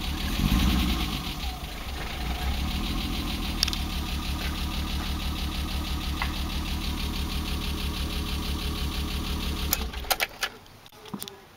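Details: BMW E30 with M20B25 inline six, running rough after newly installed injectors and chip/ECU: idle thumps about three a second come unevenly, engine shakes until switched off.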